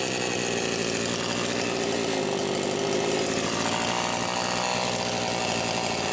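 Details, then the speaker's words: Homelite Super XL Automatic chainsaw, one check valve replaced with new O-ring (another still suspect): steady, even high-revving two-stroke buzz with no misses, surges or rattles; runs good, automatic oiler works. "so runs good automatic oiler works good"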